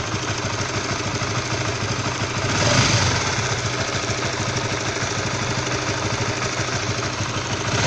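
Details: Stock Honda CB150R, all standard, engine cold: rough idle with an uneven knocking patter about three per second over the exhaust, odd harsh sound at low temperature; source unclear.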